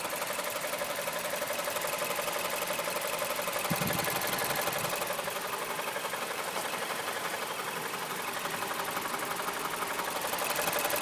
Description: Мазда CX 7 2008г стук в двигателе